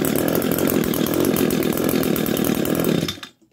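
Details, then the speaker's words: Echo PAS 225 string trimmer two-stroke after ignition coil replacement, cold start: fast, crisp buzz holds steady about three seconds then cuts off cleanly; runs strong and even. "We're going to pull. There she goes, you guys."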